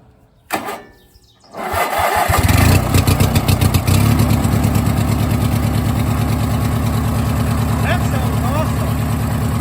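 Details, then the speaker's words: 18 hp Briggs & Stratton opposed-twin with new custom exhaust: cranks and catches within a second, settles into a deep, even, mellow thrum; runs better than before the exhaust change; normal running. "But definitely seems to run better with this exhaust on here. Even better than she did when she was running good."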